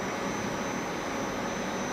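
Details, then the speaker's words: Water pump on a Hitachi VFD, put back in auto after a DC bus overvoltage fault: smooth constant motor hum with faint high drive whine, no knocks or surging; running healthy, fault cause unknown, possibly supply fluctuation. "yeah very strange well don't really know what caused it but now it's working"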